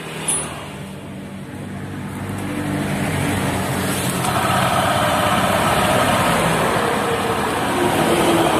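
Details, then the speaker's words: Honda Vario 150 LED scooter, CVT recently serviced: coarse, rattly drive with rough knocking about four a second and heavy feel on initial throttle; cause usually worn pulley bearing 6902 and dented rollers. "Dan di sini terjadi kasar pada saat tarik tarikan gas awal itu terjadi sangat kasar bunyi kelotok-kelotok dan terasa sangat berat."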